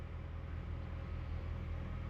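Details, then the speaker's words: 2007 first-gen Honda Fit after the alternator was replaced with a remanufactured unit: idling with no battery light while recharging a dead battery. A steady low hum with no charging whine or squeal. Normal idle. "Good to go. I'm gonna let it sit and run, charge the battery because the battery was dead, but I'm just gonna let it run. Not too bad."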